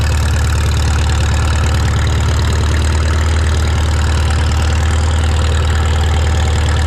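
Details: Shop tractor, either the John Deere 4020 or the Farmall Super M, just started with choke and throttle levers. It gives a steady, deep, even idle with a low thrum and no misses or knocks. Normal idle.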